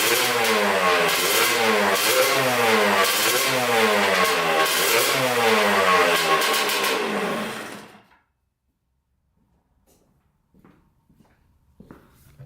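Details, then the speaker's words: 1989 Kawasaki KX125 two-stroke dirt bike being revved: crisp blips about four a second, idles nicely and runs well but sounds flat at the top, with top-end power lacking. Cause suspected; a carburetor swap is planned next. "so you can hear it idles nicely and runs pretty good, but that top end power is just not there."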